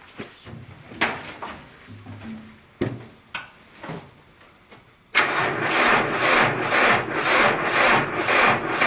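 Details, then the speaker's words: Cold-soaked diesel, cranked without glow plugs and before the oil pan and battery heaters were run: slow, labored cranking at about two beats a second, never firing; it won't start. "uh basically you heard it there this ain't going to start"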